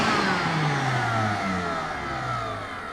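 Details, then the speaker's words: Nearly new roadside-found shop vac, probably brushed motor, switched off from lowest speed: whine falls steadily in pitch as the motor coasts down, with slight vibration attributed to a smooth bearing system, no scraping; normal spin-down. "you heard the way it shuts down that means it has a the way the reason it vibrates when it shuts down is because it actually have a very well the reason stuff like that whenever it shuts down because it has a very smooth bearing system in it"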